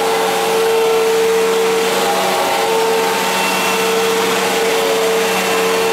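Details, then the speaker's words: 1999 Fantom Fury vacuum bought at a yard sale: steady motor hum with a thin whistle that drops in and out every second or so, sounding different from another Fury; the whine only happens occasionally, cause unknown. "it also sounds different than my other Fury it only happens occasionally though where you can really hear it"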